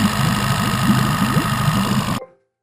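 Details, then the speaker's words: Outboard motor idling steadily with an even low putter and no misses after a clogged carburetor was cleared by blowing 50 psi of air back through the fuel line at the fuel filter; starts right up, normal idle. "turn the key starts right up don't it after you stop jumping up and down and cheering"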